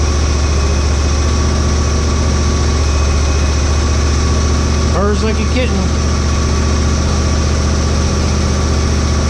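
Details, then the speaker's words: Husqvarna GT52XLSi lawn tractor, 24 hp Briggs & Stratton, not fully warm: after replacing the carburetor jet O-rings to cure surging, it holds a low, even idle with no hunting; runs smoothly now. "I don't know if you can hear me talking through that but it's uh it runs perfect now so just must be those Jets"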